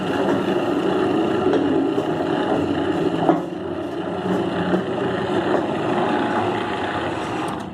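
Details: Electronic gate opener that had only been opening with a jolt and making noise, running after its capacitor was replaced (fault judged electrical, not mechanical): steady, even motor drone with no jolting, straining or grinding; running normally.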